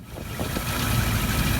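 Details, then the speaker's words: Rover SD1 V8 being tuned to a 775 ± 25 rpm idle at 6° BTDC, tachometer taken from the coil: low, even burble settling to a steady, slightly slow idle; engine speed reads bang on, sounds healthy. "Well, there's engine speed. That's looking alright. That's bang on."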